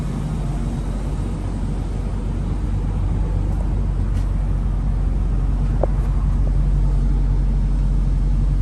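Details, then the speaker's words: 1997 Jaguar XJ8 V8 idling, heard at the rear: soft, even low hum with no ticks or puffs, exhaust note barely audible, runs very smooth; normal idle, quiet exhaust. "v8 it's very quiet you can barely even hear the exhaust note out back here"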